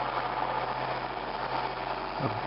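Even, steady diesel drone with no knocks or misses over a couple of seconds; this grader engine sounds healthy and smooth.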